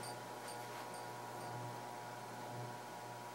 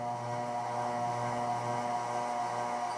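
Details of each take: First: Casablanca Genesis Gallery ceiling fan (spinner motor) on high speed: low, even hum and soft air rush with no ticking, rubbing or wobble; moves a lot of air, normal quiet running. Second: Casablanca Genesis Gallery K4B ceiling fan, spinner motor: steady mid-pitched hum, noticeably loud on medium speed, no knocking; light possibly vibrating, source unclear.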